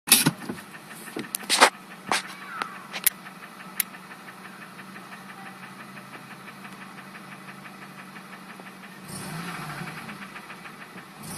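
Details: 2002 Acura RSX Type S, K20A2 petrol engine idling with a rapid, steady knock that speeds up when the throttle is blipped.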